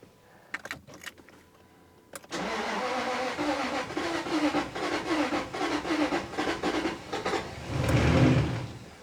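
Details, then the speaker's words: 1999 Jaguar XK V8, said to be the 4.0 L though the cover reads 3.2. The starter spins very easily, churning unevenly at about four beats per second at full throttle, and nearly catches without running. Bore wash is suspected. "it sounds a little better uh but still nothing happens Full [Music] Throttle I can feel compression building to be honest just going to give it a break"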